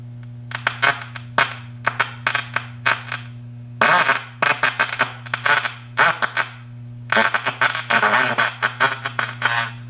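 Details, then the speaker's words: 1937 Gilfillan 731T-C radio, not recapped and with its original electrolytics: garbled, choppy, extremely distorted audio over a steady AC hum. "hello everyone thanks for joining me you're looking at a uh a gilin radio this belongs to my dad and I just picked it up a couple days ago and as you can probably hear the audio is extremely distorted let me cut the volume"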